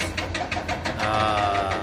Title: Engine misfiring..cat excavator 6.6